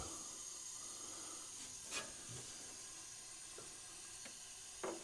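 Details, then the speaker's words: Ford Sierra engine leak-down check: faint, steady high air hiss under a few clicks as air escapes past the valves; valves leaking heavily, not considered a problem for this rally engine. "mahtavasti venttiilit vuotaa. No se ei oo meille ongelma."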